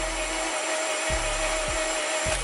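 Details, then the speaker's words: 8th-gen Honda Civic (2006–2011) R18A1 engine, compression test on cylinder 3, whose plug was wet. It cranks fast, and the cylinder gives only a clean steady whine with no compression pulses. Gauge reads 0 PSI: dead cylinder, top or bottom end unknown. "you can hear, it's just a clean whine. Just like I thought. 0 PSI. Dead cylinder."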